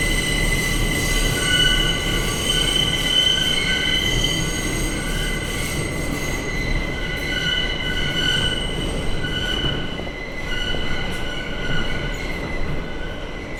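Loud sustained high-pitched screech in several steady tones over rumbling wheels, typical of metro wheel flanges squealing through a tight tunnel curve.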